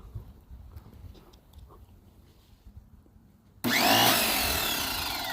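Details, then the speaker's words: Free Greenworks 2000 psi electric pressure washer connected to a water hose: quiet, then a sudden loud motor start with a wavering, sweeping whine at full speed; abnormal start-up noise, cause unclear. "Okay, that's one problem that it's having. It just does that immediately. Is it supposed to do that?"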